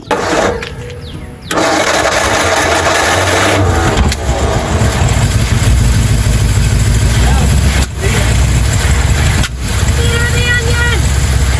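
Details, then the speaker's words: 1956 Ford Fairlane's first start in 15 years, with new coil and plugs and intake and carburetor refitted: long cranking, then it catches and runs lumpy and stumbling, dipping as if to die; owner suspects vacuum leaks. "I think we've got a lot of vacuum leaks and that's probably part of the problem but it was I mean it was it was going I wonder if it will idle"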